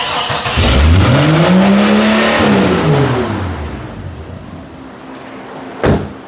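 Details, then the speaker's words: Jeep after exhaust manifold replacement; engine revs climb fast toward the limiter with no throttle, then sag back: high idle surge from a large vacuum leak, vacuum lines checked, bolts retightened to fix. "sounds like there's a huge vacuum leak somewhere which is why it's trying to take off to mock Jesus"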